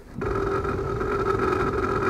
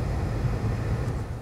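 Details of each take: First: 2004 Toyota Sienna with heat on: loud, steady hum with strong mid whine as soon as the fan comes on, no rhythm, super noisy; failing heater blower motor, before replacement. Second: 2004 Toyota Sienna with the fan turned on after a new blower motor replaced the noisy one: steady, even low hum with no rattle, squeal or ticking; the noise is gone and the blower runs normally.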